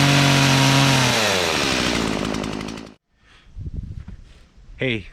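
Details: Stihl chainsaw running 50:1 gas-oil mix, fired up after chain sharpening and bar/chain reassembly: revs high and steady, then winds down and cuts off cleanly; even two-stroke note, saw running fine.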